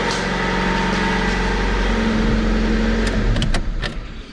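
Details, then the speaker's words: Older Honda car bought as a daily driver, check engine light on for an O2 sensor; starts instantly and holds a smooth, even idle with a steady low hum before switch-off. Normal idle. "oh wow I'm not sure if you guys heard that it started instantly that's awesome okay good"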